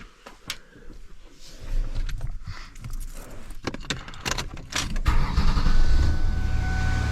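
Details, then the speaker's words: 2001 Ford Taurus engine running: clatter and handling noise, then a steady high screaming whine; power steering not working, power steering pump blamed. "so you can hear it you can hear it screaming and yelling but the power steering's not really working so let's just change that pump"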